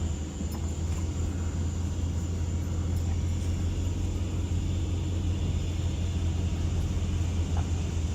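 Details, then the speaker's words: 2005 Dodge Ram 1500 4x4 test drive after replacing the noisy rear axle (suspected pinion, noise on throttle) with a salvage-yard 2003 unit. Steady even road rumble with no whine, clunk, grinding or rattle. Normal rear differential. "sounds very good so far no grinding no rattling"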